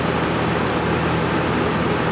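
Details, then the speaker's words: TIG welder under maintenance with high-frequency switched on: steady dense electrical crackle and hiss like sparks; high-frequency arc starter working normally, while a relay nearby is not closing properly and sparks. "that sound like spring sort of electrical electrical sparks out that's it that's the high frequency on/off I just thought I'd mentioned that"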